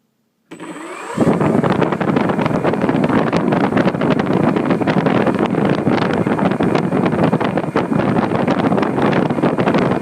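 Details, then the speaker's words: HobbyKing Red Brick 80A ESC on a P-47 with a 15x7 prop, at full throttle: loud, steady whirring roar that holds the same rpm and never climbs; faulty ESC limiting throttle. "as you notice our full throttle and it didn't give me any more throttle does foot taller you saw that and they didn't speed up its data that same rpm"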